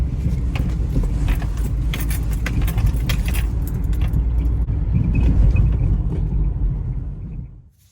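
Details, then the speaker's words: 2003 Toyota RAV4 driven with aggressive moves: sharp clunks and rattles in bursts from front suspension over road rumble, play in stabilizer (sway bar) end link; end links replaced; sway bar end link clunk. "welcome back we got an 03 RAV for that has some clunking noises going on at the front suspension"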